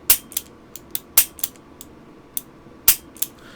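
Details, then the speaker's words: Smith & Wesson Airweight .38 Special revolver after complete disassembly and reassembly: crisp metallic trigger-pull clicks with the hand clicking into place while trigger pull remains, showing solid, secure lockup every time. "So I'm pulling my trigger, and there I heard the hand click into place, and I still have a good bit of trigger pull left. That tells me that it's going to lock up securely every time."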